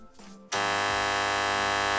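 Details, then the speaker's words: Marantz 2330B receiver, 130 W per channel, at power-on with speakers connected: loud steady low buzz with rich overtones on one channel only, holding constant; hum from dried-out filter capacitors. "oh i didn't expect to have that noise looks like this noise is coming only from one channel"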